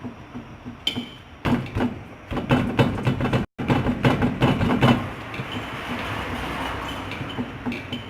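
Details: 1997 Fiat Palio 1.0 MPI with 280,000 km: quick, uneven metallic clunks as the front wheel is rocked by hand, diagnosed as play in a worn ball joint.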